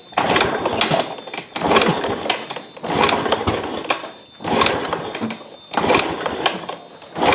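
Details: Fuel-injected motorcycle brought in pushed, dead: six hard kick-start strokes about a second apart, each a rattling churn that dies without catching. Cranks but won't start; a spark problem is suspected and being checked at the plug cap.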